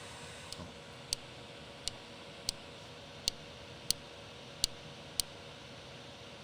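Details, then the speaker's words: Anycubic Vyper 3D printer, first print: sharp light ticks about every 0.6 seconds over faint motor hum; suspected tight bearing, not confirmed. "the click showing up yeah it is okay huh sounds like the like a bearing click or something and that's ah really annoying"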